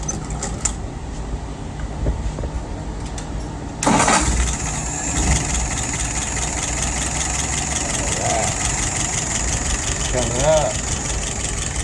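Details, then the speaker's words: 1948 flathead test engine with a restored, adjusted WO 636SA carburetor (bowl replaced for a blockage or crack): quiet, then it catches at once and settles into a smooth, even idle of about 640 rpm with no misses or knocks. "All right, right now she's idling at about 640. I think I'm going to go ahead and turn that up just a little bit."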